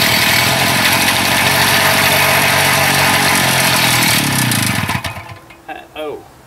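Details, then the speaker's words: Small two-stroke after idle adjustment: screams ragged about five seconds, then sags, coughs twice and dies, won't hold idle; owner wonders about tired rings or worn cylinder, cause unconfirmed. Unstable idle, stalling. "i adjusted the idle a bit but then now it seems to not want to idle got ghost i'm telling you now try to get her running"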